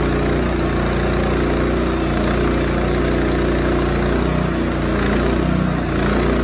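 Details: Rima sawmill cutting a 20 ft pin oak slab 3 1/4 in deep, about 18 in wide, new blade on fifth cut: steady engine drone with faint squeal, possibly the pulley belt slipping from feeding too fast, plus a loud new guide bearing; chassis vibration persists despite tightened bolts.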